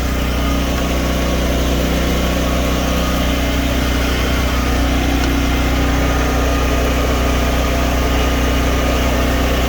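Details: Home-backup generator running on propane with its circuit breaker off and no load connected. A steady low drone with an even beat, no hunting, surging or knocking: a normal unloaded idle.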